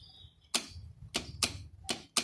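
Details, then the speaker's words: Yamaha X-Max scooter: ignition on, horn works, brake squeezed and start pressed gives only sharp starter relay clicks from the front, engine does not crank; battery suspected. "นี่นะครับเราจะได้ยินเสียงรีเลยดังอยู่ทางด้านหน้าตรงนี้นะครับ"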